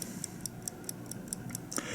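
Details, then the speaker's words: 1950 Buick Roadmaster New Haven dash clock, removed from car, running after initial electric winding: crisp even ticks about 4.5 per second, no skips; balance wheel beating normally despite needing cleaning and oiling. "as you can hear it and see it right there that uh balance wheel is doing what it should do just like on a pocket watch or any watch it's ticking along there doing as best as it can"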